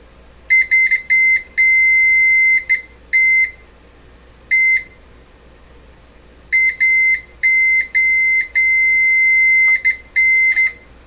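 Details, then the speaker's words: Canadian Westinghouse 981 shortwave radio, probing a mystery wire with continuity tester across all band switch settings: sharp beeps and long steady tones, wire reads grounded whatever is touched. "everything is grounded no matter what you touch touch anything it's grounded"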